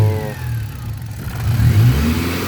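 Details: Hyundai Accent gasoline, cranked but wouldn't start; fuel pump relay swapped with horn relay, then it started: engine picks up cleanly, smooth even rev with no stumble or misfire; now running properly.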